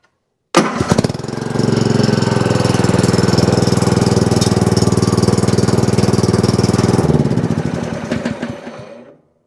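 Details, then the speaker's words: Troy-Bilt TB30R 30-inch rear-engine riding mower that came in with a no-click no-start. After confirming voltage at the trigger wire and plugging the connectors back in, the key start catches immediately, runs evenly, then shuts down cleanly. Normal start and run. "That means as soon as I turn this over now, or as soon as I plug these back in and turn that key, this mower is going to start right up."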